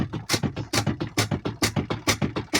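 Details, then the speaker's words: Twin-tub washing machine spin drum not reaching speed: rhythmic thumping knock about four per second with wobbling rise and fall, drum unstable from a worn coupler. "Ya, no desarrolla velocidad porque el tambor está inestable. La inestabilidad en el tambor de centrifugado puede ser debido a múltiples razones."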